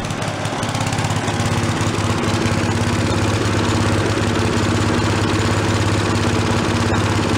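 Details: Late-1970s/early-1980s Giant Vac walk-behind leaf blower, bought worn from a garage sale, primed from a bottle: loud two-stroke drone held steady at full throttle, even firing with no surging or dropouts; normal running. It has no idle circuit.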